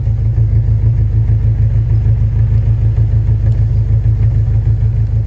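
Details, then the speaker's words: 1994 Ford Ranger XLT at idle with a deep, even rumble, no sputter or gurgle, just under 600 rpm, after replacing spark plugs and wires (cylinder one fixed) to cure detonation/spark knock under load; runs well. "just all Rumble no gargle in there like it's got something stuck in its throat run good"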